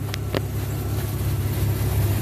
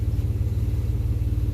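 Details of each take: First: 1995 Chevy Blazer 4.3L CPI after replacing spider injector assembly and leaking lines, warm in closed loop, fuel pressure 52 psi: steady, even low rumble with no misses, knocks or hunting; healthy idle. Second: 1995 Chevy Blazer 4.3L V6 idling slightly fast (about 700+ rpm vs 650 desired) with a rapid, even low puffing from an exhaust leak through holes in a poorly done third-party weld where the catalytic converter was cut out.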